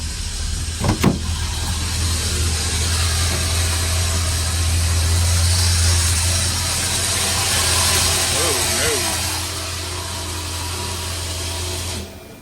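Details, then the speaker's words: 1978 Ford Thunderbird, recently revived, restarted after sitting 10 minutes: runs with a steady harsh scratching grind as if still cranking while running; smoke and burning smell, the noise coming from down by the starter. Cause suspected, not confirmed. "it sounds like it's still cranking and cranked at the same time. You ever heard that? And it's like this scratching noise."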